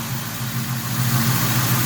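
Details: 22-year-old Ford Mustang after fitting new 19 injectors (double-gasketed): smooth, low, even idle hum with a steady pulse and no misses or stumbles.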